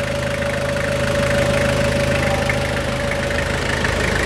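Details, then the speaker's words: 2000 Toyota Hilux SR5 2.8 3L diesel idling after upper cooling hose replacement, left running to check leaks: steady even diesel clatter at settled idle, no misses or knocks; normal idle. "escutar só a sinfonia, essa melodia aqui. Na lenta, assim, na lenta da Garbosa."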